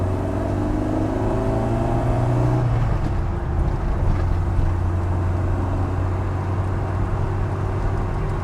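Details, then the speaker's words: Ford Fiesta MK1 Zetec project after engine transplant, first drive on the new engine: steady low drone pulling smoothly through the gears under acceleration, no knocks or ticks; much quieter than before, pulls nearly 150 hp; clutch needs adjusting, fifth gear stiff. "Doesn't feel like I can't hear anything knocking, which is always a good sign."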